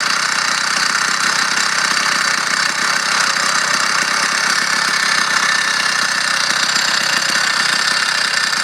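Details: Motorized bicycle two-stroke engine at steady speed, running fine and strong: a fast buzz with a busy metallic rattle riding over it, coming from inside the engine; the source of the rattle is unknown.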